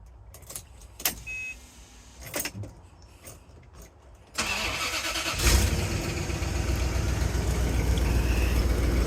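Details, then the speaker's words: 1989 Bentley Mulsanne S, 6.7-litre fuel-injected engine, cold start: catches after about a second of cranking, then fast idle with a puffing, ticking blow and exhaust smell; exhaust leak, source unknown, maybe the manifold. "You might be able to hear the issue straight away. It's got an exhaust blow coming from somewhere, maybe the manifold."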